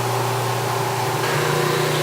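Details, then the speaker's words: The grinding wheel bears evenly on a paper blade at good pressure, contacting almost the entire blade after lowering a couple of notches. A steady hum with a constant rough grind and no chatter. No sparks appear, possibly due to the blade metal or the wheel. "and now that sound is telling me that I have a good amount of pressure on this plate no sparks"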